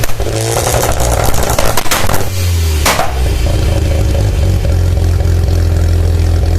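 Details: Mazda RX-7 SA22C 13B turbo rotary after cat delete: loud deep idle that stumbles and chops unevenly, rough rev early on; misfiring at idle and when revved.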